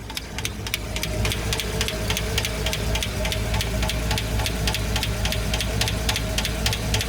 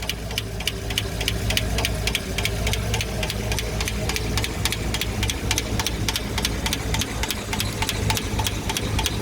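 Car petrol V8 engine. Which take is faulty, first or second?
second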